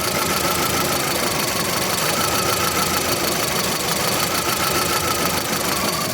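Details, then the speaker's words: VW Gol 1.6 EA111 idling with a fast, rattly top-end ticking from a worn camshaft and hydraulic lifters, losing compression though the oil light stays off. Fix: machine the cylinder head top, do the camshaft, replace the lifters. "tá então esse daqui realmente vai ter que retificar aqui a parte de cima dele aí você manda ver aqui a parte do do comando de vlvula e já troca os T Hidráulicos dele"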